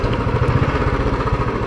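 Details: Royal Enfield Bullet new engine in its running-in period (first 2,000 km, stock exhaust): soft, even single-cylinder pulsing, rapid and regular, with a muted exhaust hum and no knocks; the thump is quieter until carbon builds up. Healthy engine still running in.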